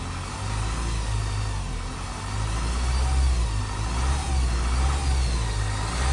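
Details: 2007 Honda CR-V RE6 2.2 i-CTDi diesel: a thin, high internal engine whine rising and falling with revs. It appeared after OEM timing chain kit replacement, repeated once; belt accessories are ruled out; the vacuum pump and upper cam gears remain original.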